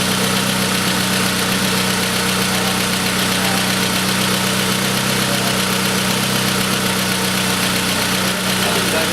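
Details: Pontiac Sunfire 2.2L on its first start after a broken timing chain was repaired. It settles into a steady, even idle hum with no knocking, ticking or rattle, running smoothly.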